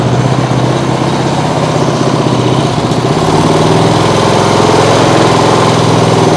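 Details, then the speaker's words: Small single-cylinder lawnmower engine on an outboard rig at full throttle on the governor: fast, even, steady buzz without hunting; dislikes fast throttle changes but starts easily, no kickback; normal governed running. "Well, it doesn't like when you get on the throttle too fast, but it is able to run full throttle on the governor, that is. Starts easy, doesn't kick back."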